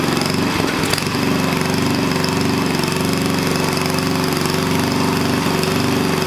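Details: Onan engine for a small log splitter, running after the carburetor governor linkage was adjusted: a fast single-cylinder buzz holding steady at about 3,400 rpm governed speed, with no surging or stumbling. It runs right, and the stop switch kills it.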